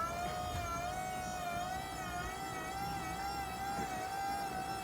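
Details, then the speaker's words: Vauxhall electric power steering pump on Metro 6R4 replica, run unloaded: steady high jet-like whine, faint tremble beneath, no grinding; sounds healthy, untested under load. "Haven't really run it up too much. Jesus, it's like a jet fighter."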